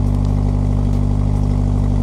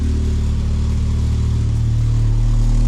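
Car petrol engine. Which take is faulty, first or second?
second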